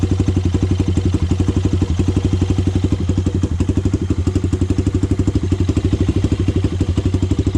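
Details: Honda 400EX single, first start after idle-screw adjustment: even thumping idle at about four beats a second, no bottom-end knock or valve tick. The owner says the carburetor still needs work.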